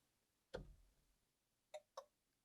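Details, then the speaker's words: Datsun 120Y indicator stalk, ignition on: crisp dry ticks from the flasher relay over a quiet background and the indicator blinks; flasher working as it should. "Oh yeah, I can hear the sound and it blinks. Nice."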